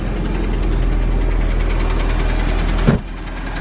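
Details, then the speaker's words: Audi A4 B5 at idle: steady fast knock, a few per second, loud over rough idle; owner first feared rod knock but later says it is not; thermostat leak noted, compression test planned. "so you hear that knocking noise i thought but so much i'm gonna wrap it up so as i wrap it up you can't hear it"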